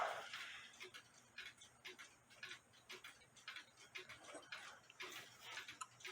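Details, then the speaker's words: Nisshindo 100-day torsion/anniversary clock, plate 1469E, new suspension spring, heard through beat amplifier and external speaker: faint evenly spaced ticks about once per second, clicking about 180 degrees apart; in beat, normal. "it clicked there and it click here so it's uh clicking about 180 degrees away from each other which I told you that's what you gotta have"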